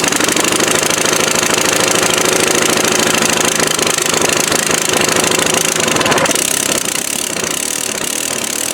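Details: Free 1998 Craftsman 22-inch mulcher mower, 6.25 hp single-cylinder, running rough with harsh, uneven crackle and pops. Owner attributes it to a sheared upper exhaust bolt left inside; a loose carburetor is also noted.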